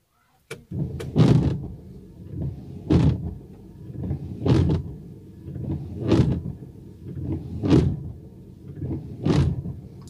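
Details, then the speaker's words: Worn windshield wiper blades sweeping about every 1.6 seconds, each pass juddering and squawking loudly across the glass. Wiper blade chatter. "E aí é bastante barulho que até meu filho pequenininho eu tenho medo de dois anos agora nós nos assustamos"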